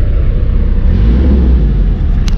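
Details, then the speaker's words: 1991 Toyota LiteAce 4x4 Limited, right-hand drive turbo diesel, started after glow plug warm-up; deep even rumble as it revs, smooth with no knocks or rattles, turbo audible, partly buried in wind noise: normal engine revving. "hear the turbo but man she sounds good"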